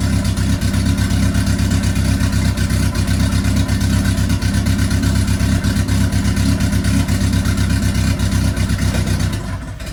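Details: Mk1 Ford Fiesta with a turbo Zetec at its first start after an ECU fix. It runs at a fast idle with an uneven, lumpy beat and slight hunting before shutting off; rough and untuned, acceptable for a first start.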